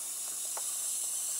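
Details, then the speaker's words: MFJ-4275MV switching power supply just switched on: steady high fizzing, frying hiss with no rhythm; bad filter capacitor suspected, not confirmed. "so many fried eggs in there yeah you guessed it this power slide is suffering from bad capacitors or bad capacitor"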